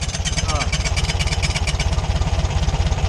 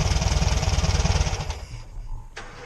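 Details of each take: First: VW Beetle engine at idle: a tinny rattle rides each firing pulse, about two per second, from the loose tin cooling shroud behind the crank pulley. The alternator was ruled out; the fix is to loosen two bolts and push the tin back. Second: Air-cooled VW Beetle (Fusca) idling after an old air-filter part left by a previous owner was removed: smooth, even low putter with no rattle, then the engine winds down and stops. Problem fixed.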